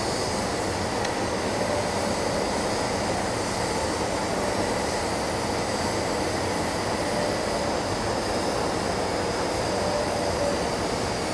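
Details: Ventec dust collector filter, well-sized, at start-up: a steady, even rushing roar of air with no pulsing, rattling or grinding; the cleaning system is discharging efficiently and sounds normal.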